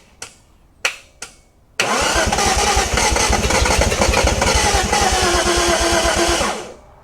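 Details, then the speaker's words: 1971 Datsun 240Z, first start after restoration: engine catches after cranking and runs rough with an uneven, lumpy beat and stumbling exhaust for five seconds, then cuts; misfire, with smoke and a burning smell; owner suspects timing or spark plug wires in wrong firing order. "So, it sounds like maybe out of time."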